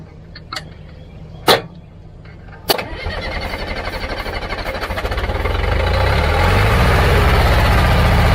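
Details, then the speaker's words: Old Caterpillar logging machine diesel after bleeding air from the fuel lines: a few cranking clatters, then it catches and settles into a steady even chug running on its own; engine runs well. "Sound like the engine runs pretty good. It did sound really good."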